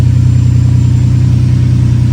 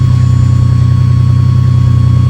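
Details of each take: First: Ferrari 456 V12 after installing new gapped spark plugs to cure random misfire: steady, even idle with smooth low hum, no stumble or shake; running cleanly on all cylinders, though coils could be a cause if it returns. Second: Ferrari 456 V12 at cold-start idle with a random misfire, run before new spark plugs are gapped and fitted: a low idle hum with a faint uneven pulse and slight vibration, less shaky than before. Rough idle with vibration, misfire suspected.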